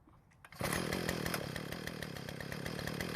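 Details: Earthquake tiller that would not start after storage, after draining water-contaminated fuel and refilling with fresh fuel: the small single-cylinder catches and settles into a quick, steady, clean buzzing beat; now runs normally.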